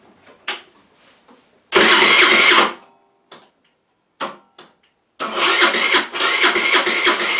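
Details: Rex RS500 Speed scooter, first start after refitting the carburetor and fresh fuel, oil looking very thin: short cranking bursts, then a rough catch with harsh metallic clatter; engine rattle, crankshaft or valves suspected, not confirmed.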